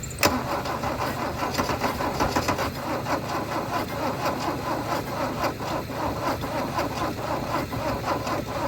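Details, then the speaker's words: Mercedes W123 300D, 3 L diesel parked 20 years, cranked with a jump from a Yaris with a better battery. Steady, even compression beats while cranking, close to firing but no start. The owner suspects no diesel is reaching the injectors. "she's getting pretty close pretty close so close right I'm going to have to get some diesels for this thing and stop messing around"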